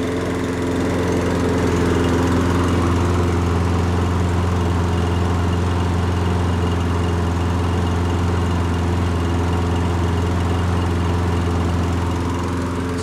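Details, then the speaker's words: Toro Recycler Personal Pace push mower bogging under load: engine runs steady but slow and low-pitched at about 2600 rpm versus 3200-3300 expected, due to a bent governor spring tab. "all right guys so it is running a little bit on the slow side i can tell that just by listening"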